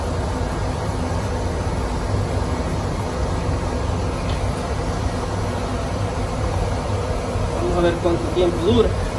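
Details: Oil-fired boiler that would not light because clogged filters restricted the oil, after all filters were replaced: a steady, even low roar with no sputter or surging, indicating clean firing now that fuel flows freely.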